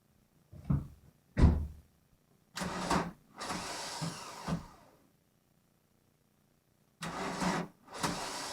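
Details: VW Golf mk1 1.9 TD diesel, cold start after 5 months winter storage: engine cranks in several short, sluggish bursts with pauses, never catching; bad starter sound, starter and battery strained, cause not confirmed.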